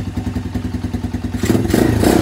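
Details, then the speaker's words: Venom X20 125cc single-cylinder motorcycle idling right after a carburetor replacement, with a filter fitted on the intake hose; it started first try and gives a quick, even, smooth putter with intake noise audible: normal idle. "Look, and it's idling beautiful. Look at that, idling perfectly fine. No issues."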